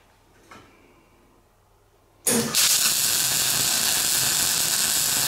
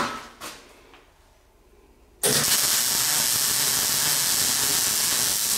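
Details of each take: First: MIG welding on a classic Mini shell roll-over jig, with a good welder on metal whose paint wasn't cleaned: quiet, then harsh crackling hiss with irregular pops. The spatter is from the paint and improves as the paint flakes off during the weld. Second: MIG weld on a Classic Mini roll-over jig after turning the wire speed down from 5 to 3.5: a steady, smooth frying crackle with no popping or sputtering, a normal weld sound.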